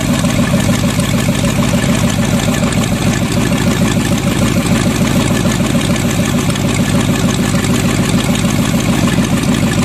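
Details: Used Chevy 350 small-block V8 on an engine stand: steady, even lumpy idle with no misses, now sounding like it fires on all eight; smokes a little.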